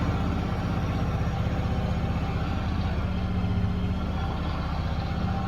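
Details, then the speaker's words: Yamaha V-Star 1100 (XVS1100) after carb cleaning, airbox off, previously hard starting and firing on one cylinder: steady, even low idle thump with no misses or stumbles; running well. "sounds like it's running pretty good for having the airbox off of it."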